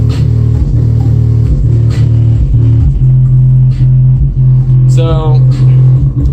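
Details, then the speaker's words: Pioneer Premier TS-W3001D2 12-inch 2-ohm DVC subwoofer after voice coil replacement, in a box driven by a DS18 EXL-SQ300.2 amp (300 W RMS per channel at 2 ohms), playing a phase test song. The bass is clean and punchy with no buzzing or distortion, playing normally. "seems to be doing really well on the lows"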